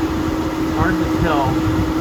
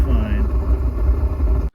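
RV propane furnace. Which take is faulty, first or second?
second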